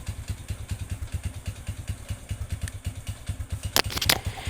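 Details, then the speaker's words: Honda Revo motorcycle engine, owner says run out of engine oil, idling with a rough, steady tek-tek-tek ticking heard when started; piston slap from a scuffed piston. "silakan diperhatikan untuk suara bagian mesinnya ini ya Ada suara tek tek tek tek tek tek seperti ini ketika Paki hari dinyalakan"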